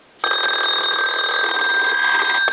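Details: Repaired German telephone, rear bell volume control turned all the way up: a loud, continuous, shrill bell ring holding steady at high pitch; ringer working at full volume.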